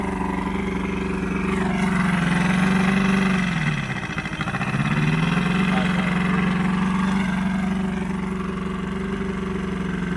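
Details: Old Johnson 90hp outboard on a 1987 Crestliner aluminum boat, sat about a year, fresh plugs; rough uneven two-stroke idle that dips and stumbles then picks back up; needs carb work, carbs to come off and fuel lines to be cleaned.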